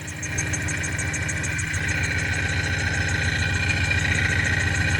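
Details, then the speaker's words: 2000 BMW E39 540i at idle, recorded from under the car near the transmission: light regular rattling ticks, about three or four a second, over belt squeak. A flywheel problem or a leaking header on that side is suspected, unconfirmed. "there's this sound it's a little bit of a rattle"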